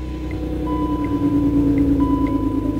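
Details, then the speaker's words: BMW E39 just started after work on the MAF sensor plug: repeating electronic chime over low idle rumble; handbrake-on warning. "on brzęczy? A, ręczny. Piszczy ręczny."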